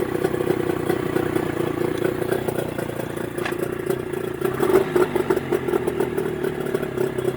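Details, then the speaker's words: Mercury 25 HP two-stroke outboard in neutral after Boyesen power reeds installed, idle being set with the throttle cam: steady, even mid-pitched burble with light ticking, no stumbles or surges. Normal idle. "send me your reaction again running very good hey it works great now you're playing with the cam all right for the idol idol"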